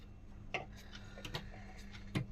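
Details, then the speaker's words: Sewing machine after removing thread jammed in the wheel and oiling the joints: light even ticking as it turns freely, no binding or grinding, running smoothly. "చూడండి ఇప్పుడు ఎంత neat గా తిరుగుతుంది చూడండి machine కుట్టి ఏ విధంగా వస్తుందో అనేది చూడండి ఇప్పుడు స్మూత్ గా అయితే"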